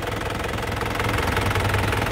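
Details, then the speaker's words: 2010 Isuzu Panther LM Smart Turbo diesel: steady, even diesel clatter at idle with a regular low beat and no misses or odd knocks, briefly revved; the engine sounds solid and healthy. "Nah untuk mesinnya seperti ini, suaranya kempel banget teman-teman. Kita coba ya, gas ya. Nah untuk suaranya masih enak banget, masih kempel."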